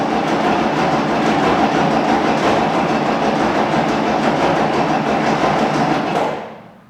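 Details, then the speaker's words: Unimog 416 diesel saved from scrap, first start attempt: starter churns the engine evenly at about three beats a second with a slight cough, no catch, then stops; cranks but won't start, likely from lack of fuel. "Well, it does turn. That's good news. And it even did a slight cough at one point. So, I think we just need a bit of fuel."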